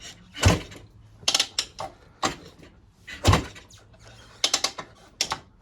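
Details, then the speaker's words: 1974 Bultaco Alpina 350, sat 6–10 years, kicked over after a kickstarter fix. A handful of heavy, irregular kick thumps turn the engine stiffly without firing, showing very strong compression; the decompression lever cable is missing. "This thing has crazy compression."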